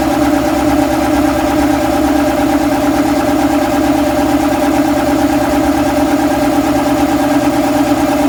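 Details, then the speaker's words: Shop air compressor with belt-drive pump and flywheel, sluggish on startup: strained, labouring pulse about two beats a second that never quite speeds up; loose belt tension letting drive belt slip until flywheel gains momentum. "you know the momentum of the flywheel to get up to speed to get it to where the belt will stop slipping on it and you're gonna hear that just in a sluggish start and then it'll sort of catch up"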